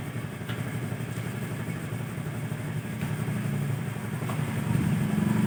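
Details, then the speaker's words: Honda Vario carburetor scooter that died and wouldn't start, regulator/rectifier suspected: steady, even idle with a smooth low putter, no misses or knocks, run about 2 minutes to charge the battery; running normally. "kita Nyalakan mesin ini selama kurang lebih 2 menit ya nanti untuk melakukan pengisian pada komponen baterai itu sendiri"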